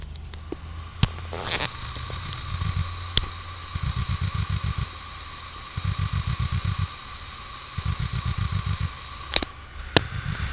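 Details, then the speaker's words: New Hitachi 2TB hard drive just installed in a PC, running at about 50°C; steady whine with a rapid buzzing chatter in one-second bursts about every two seconds, owner suspects heads knocking. "e aí um hd novo acabou de chegar no correio da hitachi do espera fazendo barulho estranho parece que agulha tá batendo"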